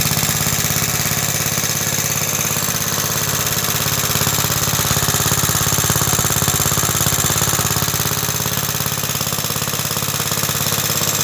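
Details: Roughly 66-year-old 1960s English Suffolk engine after carb clean and new plug wire: steady, evenly spaced metallic rattle about three beats a second over the running engine; owner places it in the starting mechanism, cause unconfirmed.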